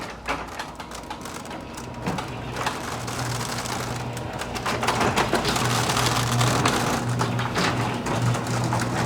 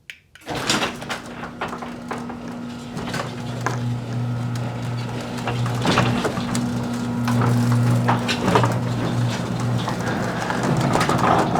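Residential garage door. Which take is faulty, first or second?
first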